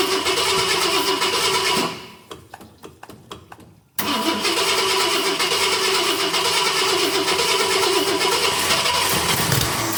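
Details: 1966 Ford Galaxie 500 XL, 390 FE V8, first fire after a 4-barrel carb and intake swap: even cranking about four beats a second for two seconds, never catches, then loud steady noise; cranks without starting, intake covered in gas.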